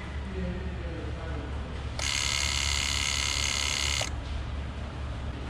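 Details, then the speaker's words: 2008 Toyota Camry Hybrid 2.4, sound at the ABS module: high electric pump buzz about two seconds then stops, cycling on and off trying to build pressure; bad accumulator not holding pressure (C1252, C1256), fix is replacing the ABS module assembly. "so you can hear it constantly just going on going off trying to build pressure but it's not holding anymore"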